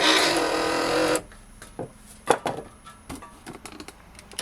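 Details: Porsche 944 power window motor, switch output tested at ±12.58 V: steady whirring for about a second, then stops with light clicks; motor running freely, normal operation.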